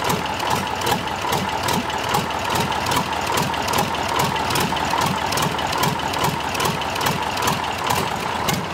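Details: Freshly overhauled Tatra 148 diesel, first start after three years, cold: steady, even idle pulsing about two to three beats a second, no knocks or misses; white smoke until warm said normal.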